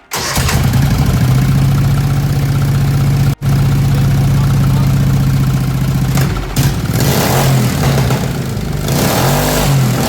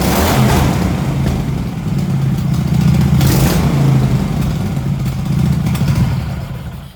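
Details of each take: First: MX-1 racing mower engine after valve adjustment and twin 34mm performance carburettors, still warm, choke off: catches at once and settles into a steady, even fast idle with a firm low drone. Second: MX-1 racing mower engine with new 34 mm performance carburetor and new fuel pump and filter: fine when throttled slowly, but revs sag and labour at full throttle. Lean, not enough fuel for the air; may need a different jet.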